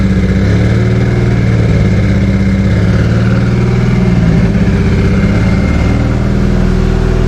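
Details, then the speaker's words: Newly installed Toyota 2JZ engine with T-56 gearbox at first startup: steady, fairly fast engine hum with an even beat and no knocks; idle sits high, possible vacuum leak or misreading sensor suspected. "so it was revving a little high we're contemplating a possible vacuum leak or maybe a sensor not reading correctly"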